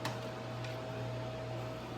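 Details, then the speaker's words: GE Profile ice machine on a test cycle, early in ice-making: only a steady soft fan hum with a faint even whine, no grinding or squealing yet. The owner's complaint was a loud grinding noise; a clogged water hose was found later. "Started making ice. I don't hear any loud sounds just yet. The sound of the fan running, and that's about"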